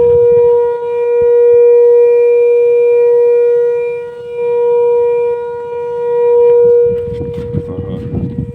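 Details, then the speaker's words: Volvo truck, stationary with engine running and parking brake on: steady mid-pitch droning hum with slow swells, also heard in the cab; vanishes when the brake pedal is pressed and returns on release. Owner suspects air hissing through some valve; source unknown. "в кабине сидишь тоже такой гул стоит аж устаёшь от него на тормоз нажмёшь и пропадает там опять отпустишь опять появляется"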